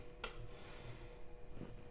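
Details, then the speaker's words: Therma TQX0027/ESI programmer and room thermostat: setpoint raised to 21 °C from a room at about 19 °C, flame icon returns; sharp single relay click, another about two seconds later, as the thermostat switches the heating back on normally. "if i turn that back up to 21 you'll hear it clicking again in a moment and the flame icon will come back on"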